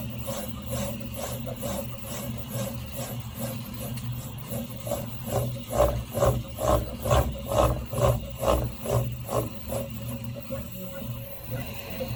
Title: Prusa i3mk3s rattling sound when moving very fast